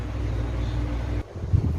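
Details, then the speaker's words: Electric fan repaired after it would not spin, with a blown fuse replaced: steady low even hum with no rattle or scraping; the fan motor spins fast and runs normally after repair. "jadi lihat teman-teman kipasnya sudah berkutat dengan sempurna sudah berputar kencang"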